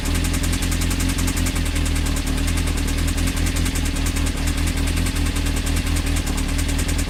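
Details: Honda CBR engine running with a fast, even knock throughout; suspected bottom-end or rod bearing knock, unconfirmed; advice is to stop running it and check connecting rods for play on the crank.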